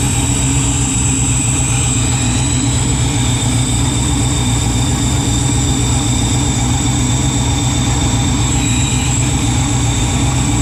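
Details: Freshly built 408 stroker LS in an S10, first start in park on a new tune: deep uneven lumpy idle sitting low and loping with no revs added; rpm low, air-fuel ratio erratic, new wideband O2 sensor acting up.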